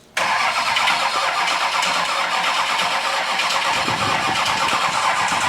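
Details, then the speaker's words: Duramax 6.6L diesel swapped into a Jeep Wrangler on its first start attempt, hot-wired with the van harness, fuel pump now pumping, battery struggling. A steady, labored starter churn goes on and on without a single catch; it cranks but never fires. "All right, let's try and crank it again. See where we're at."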